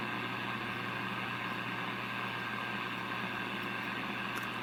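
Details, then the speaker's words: RCA 66X1 valve radio after capacitor replacement, on a variac near 75 V drawing 0.12 A with dial lights glowing: only steady hiss with low mains hum from the speaker, no station received. "I see the there's a glow from the dial lights and the obviously there's noise coming out of the speaker"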